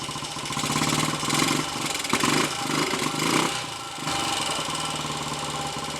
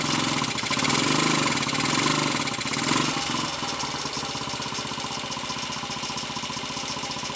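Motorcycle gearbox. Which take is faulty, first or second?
first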